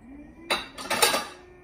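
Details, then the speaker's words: Samsung Zipel refrigerator: low hum broken by clattering bursts as the evaporator fan blades strike ice. The noise returned a year after the defrost sensor was moved, and the fix is replacing the defrost sensor. "걸려 탱크 소린데 어어 또 얼음이 얼은 것 같아요"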